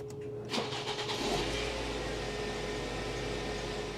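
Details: 2006 Ford Focus with a no-crank/no-start after its 20 A ECM fuse kept blowing, caused by a shorted radio suppression capacitor wire. After the new capacitor is fitted it cranks briefly, catches quickly and settles into a smooth, even idle with no misses.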